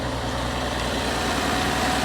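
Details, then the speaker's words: 2025 Ram 1500 Rebel, SST twin-turbo inline-six, 2500 miles, after restart: idle rumble with uneven stumbling beat under steady hiss; misfiring at idle, worse than before. "no it's misfiring oh yeah she's misfiring in fact it's misfiring worse now than than it was"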